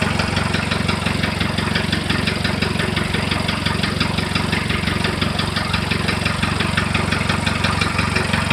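Steady idle with a sharp, even knock about three times a second over the engine; the source of the knock isn't pinned down yet.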